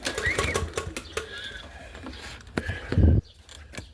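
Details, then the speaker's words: PowerSmart 170cc lawn mower that sat in a flooded basement, new spark plug fitted: rope clicks, then one short heavy chug as the pull catches; engine turns over stiffly and doesn't start. "Now, I'm gonna try to pull the rope just to see what it sounds like. Because it felt like that rope felt a little better."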